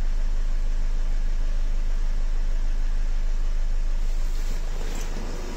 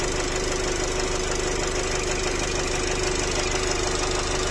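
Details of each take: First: Nissan X-Trail 2.0 dCi diesel with an intermittent piston-like knock complaint, restarted after ignition reset: a steady, even diesel idle with a regular beat and no sharp knock; normal idle at this moment. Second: Nissan X-Trail 2.0 dCi diesel, 250,000 km, idling: steady, fairly even knock of about two per second over the diesel clatter. Piston knock suspected.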